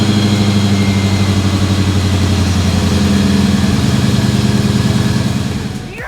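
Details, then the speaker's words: 2000 Ford Explorer XLT 5.0L V8 AWD after replacing the serpentine belt, tensioner and upper and lower idler pulleys. An even, steady idle with no squeal or chirp, then a clean shutoff. Normal idle with no belt squeal. "there we have it looks like the belt squeal is gone"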